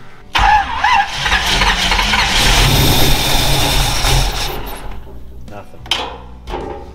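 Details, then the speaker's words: Rat rod wrecker engine, start attempts after redoing the initial setup: starter turns the engine at a steady, even cranking rhythm but it never catches; no injector pulse, no cam signal, no RPM reading. "no injector pulse. No cam. This is getting stupid."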